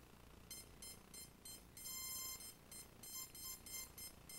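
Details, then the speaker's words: CX-20 quadcopter on power-up: repeating bursts of high electronic beeps, three or four a second with short pauses; one ESC not working, its motor won't turn on arming; fault in the ESC or APM. "So you can tell one ESC is not working."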